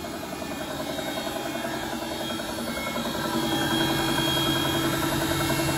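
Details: Bosch WFP3300 washing machine being descaled with 2 dishwasher tablets on hot water, spinning up toward 1600 rpm: a regular knock rises with drum speed. The owner wonders if it's bearings; heavy limescale came out afterward.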